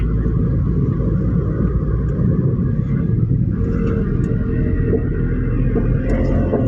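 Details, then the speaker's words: Toyota Innova cabin while driving at 40–60: heavy, steady low rumble from the rear, even on straight roads; a badly worn rear wheel bearing. "Ito na mga boss oh ang laki ang laki ng ito na yung nagco-cause kaya kahit sa tuwid na daan malagutok."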